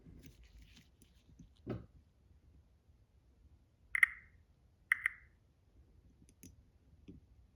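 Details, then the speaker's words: 2021+ Toyota Sienna power back door buzzer, removed and fed direct power to its pins: a few faint paired pops, no beep because the ECU must send the tone signal; buzzer element working. "But we can hear it making like a pop pop sound, so it's trying to do some noise, so that's good."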